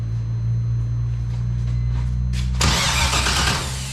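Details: BMW E46 with LS6 V8 swap, cranking with throttle held wide open in five-second bursts: steady low drone with a rough burst near the end, no firing or catch; cranks without starting, cause not confirmed.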